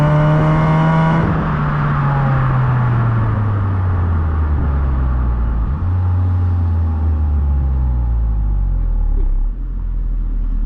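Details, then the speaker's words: 2008–14 Honda Accord Euro CU2 K-series at start-up after fitting a Vibrant Ultra Quiet resonator, heat-wrapped PLM downpipe and high-flow cat to cure a buzz; high idle dropping to a low, smooth hum with no booming drone, stock-like; quiet exhaust. "So we want to keep the car quiet, sounding like stock. We've got the PLM downpipe, it's been heat wrapped, and we've got the high flow cat right underneath us."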